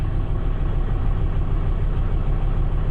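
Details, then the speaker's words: 2003 Volvo XC90 starting on a new 900 CCA battery during a tester cranking test: it fires readily and settles into a deep, even, low idle rumble with no knocks or misses; normal idle. "There we go, more than enough to fire it up. Engine detected, it's doing its test."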